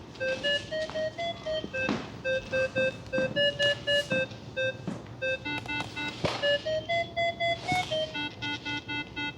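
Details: Tower Hobbies ASW 28 2 m glider telemetry variometer set to a sensitive 0.3 ft/s step: quick beeps about two per second, pitch stepping up and down with altitude change. Normal variometer tones.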